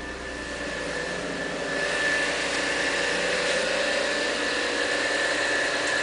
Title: Стук при запуске на холодную..